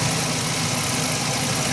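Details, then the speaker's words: 2011 Ford E350 van after replacing serpentine belt, idler pulley and tensioner (earlier constant front-engine noise at idle, not cam phasers): steady even hum just off idle, no squeal, chirp or rattle; much quieter, normal belt drive. "That's a whole lot quieter, and when it comes off idle, it should be nice."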